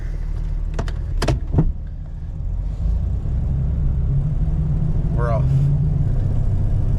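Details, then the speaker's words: Lifted Jeep (3 in lift) with the front driveshaft back in place, driven in four-wheel drive at low speed; steady low driveline rumble with no shudder or rhythmic vibration; smooth driveline, no vibration. "no low speed vibrations I don't even need to go around the whole block that is about everything I needed to know right there no vibrations"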